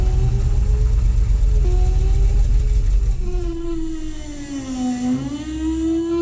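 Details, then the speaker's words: International 1210 tractor with FiTech EFI swap, fault codes 105, 74 and 36: engine note wanders, dipping and sagging then recovering as it stumbles and hunts; starts fine but runs rough, stalling after shorter and shorter run times. "so I started having an issue with the phytek in the 1210 International if you've seen the other videos you know the with the swap the running it's been great and then suddenly I started having these issues like this"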